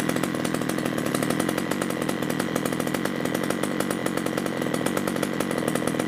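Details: 345/346 chainsaw with earlier unstable running and hard starting, after carburetor cleaning: fast, steady buzzing run with even firing and no stumbling or surging; sounds normal now.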